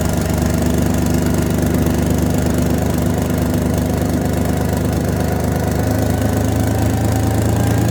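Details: Toyota 1FZ-FE engine after a rebuild: rough, uneven idle with the low drone shifting partway through and a faint steady whine riding over it; the engine surges at idle.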